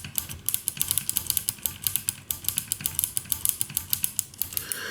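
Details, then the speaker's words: 1974 Harman Kardon 730 Twin Powered receiver, after cleaning all switches and closing it up: a quick run of sharp irregular clicks and crackles as one switch is worked, pointing to dirty contacts; more contact spray applied. "I closed it down, and then I noticed that this switch make a problem."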